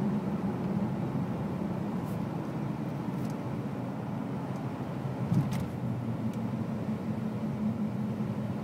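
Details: 2001 BMW 330 (E46) automatic on LPG at idle, with new LPG spark plugs and an upgraded vaporizer: an uneven drone with a brief surge, fluctuating and stalling; it runs fine on petrol, cause unknown.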